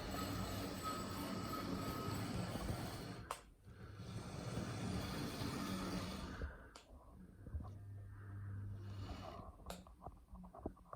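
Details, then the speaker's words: EFE Bulleid Booster model locomotive, new and not run in, axles lightly oiled: rough motor rumble with thin high squeal like dragging brakes, worse in one direction; cause unknown; wheel squeal. "You can still hear that squeak in there, can't you? Sounds like brakes squealing. Especially in that direction."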